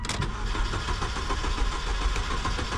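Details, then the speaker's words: 2002 Saturn L200 with no module communication, battery extremely dead and on charger; steady cranking three seconds with no firing or pickup; crank no start, two blown fuses found. "well now it's a crank no start"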